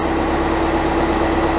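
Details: VW Golf 1.9 TDI Pumpe-Düse, around 2007, after injector Viton seal replacement for crank-no-start: steady even diesel idle, smooth low hum, constant tone, no misses, knocks or stumbles; problem appears solved.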